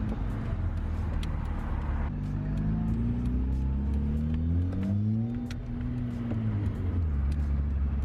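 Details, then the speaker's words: Ford Fiesta Zetec S on its first drive after repairs, ABS light now gone off: a smooth engine note climbing and falling evenly under road noise, no knocks or rattles. Engine and exhaust are normal while driving. "This is so much fun. ABS light's gone off. Driving that car was literally like the funnest thing I've done in forever. It's like a little go-kart."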